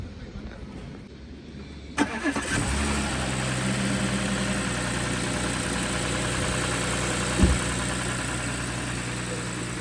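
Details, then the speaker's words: Audi A6 V6, about one month after purchase, heard at start-up as it settles into idle: a light, fairly quick ticking of about four per second over the hum, also present at low-speed driving; cause unknown, owner unsure if normal. "我这个是V6的机子，我给大家听一下打火的时候，就是低速怠速行驶的时候有一点哒哒哒的声音啊。"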